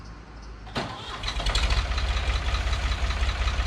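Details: 1985 Ford 545A backhoe, 3-cylinder Ford diesel, first cold start after rebuilt injector pump installed and bled: quick crank catches at once, steady even idle with low chug; runs good but hydraulic pump very slow; normal start and idle.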